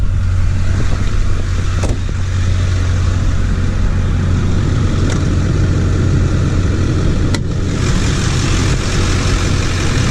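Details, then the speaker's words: High-mileage 2004 Duramax 6.6 LB7 diesel truck with a K&N cold air intake and MBRP exhaust, recorded outside at start-up: a steady, even low diesel idle with a loud exhaust drone and no knocks or misses. Healthy engine, loud exhaust. "so you guys can hear what it sounds like whenever we start it up [Music] it's really really good"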